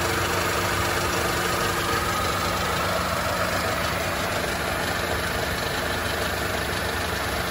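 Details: 2004 Mercedes-Benz W211 E200 Kompressor, 180,000 km, drives fine, temp normal at 80-90 degrees, no coolant loss or white smoke: steady idle with a faint quick ticking over busy mechanical clatter; owner asks what the noise is; cause unclear.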